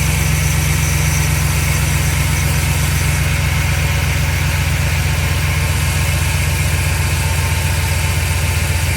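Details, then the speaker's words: Chevy truck with a misfire, first test after replacing spark plugs and wires: steady, even low rumble at idle with no stumbles or skipped beats over nine seconds; idles smoothly. "all right guys this is test one after replacing spark plugs and wires has it misfired"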